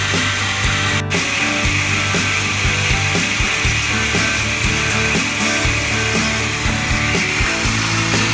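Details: Jeep WJ 4.0 idling after new spark plugs and an ignition coil. A loud hissing whir with light ticking about twice a second, noisy at startup and quieter after 7–8 minutes. The owner suspects bad pulley bearings, possibly more than one. Whirring and ticking at startup.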